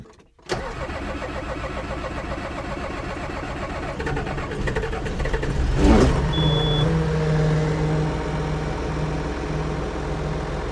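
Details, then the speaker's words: John Deere 7420 with ECU 1076 code, after replacing Stanadyne DE10 injection pump with reman unit, pin-timed, electric pump primed: cranks briefly, catches cleanly and settles to a steady even diesel idle, no misfire. "Now we're ready to try and start it. If all goes well, it should fire up pretty decently."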